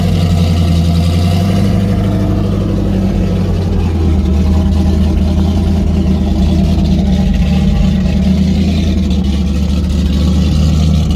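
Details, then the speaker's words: Freshly built stock-based 304 V8 (5.0L) with 53 cc-chamber heads, about 10.2:1 compression, open pipes, not at full temperature due to coolant issue: steady fast cold idle, even firing with solid lope; healthy. "I think sounds good, man. Yeah, sounds. You can tell it's got some compression."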